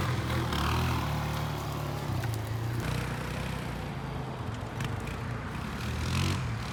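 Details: Kawasaki Bayou 220 barn-find ATV on test drive after carburetor cleaning, new battery, oil and air filters, straightened racks, rear right wheel bearing, seal and drum brakes: low single-cylinder thump rising and easing smoothly with throttle, no knocks or stumbles; running really good.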